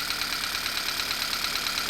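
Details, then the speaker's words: Idling petrol engine with check engine light on, trembling with a quick steady ticking kick from a cylinder misfire; cylinders are then checked by unplugging coil wires one at a time. "the vehicle is missing it's trembling let's go around to the engine and you can hear that kicking right"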